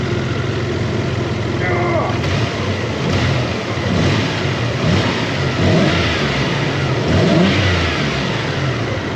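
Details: Toyota 4Runner 3.0 V6 after head gaskets, timing belt, valve adjustment and front main seal: revs rise and fall smoothly with a steady, even exhaust note, no knocks or misses; normal revving.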